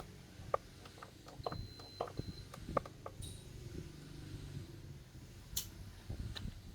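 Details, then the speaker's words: Midea induction cooktop under repair, powered on with its display lit: control beeps and clicks but no fan whir, and power can't be raised or lowered; cooling fan not running, fan wire found slightly bent. "Ồ không có tiếng quạt quay các bạn ạ."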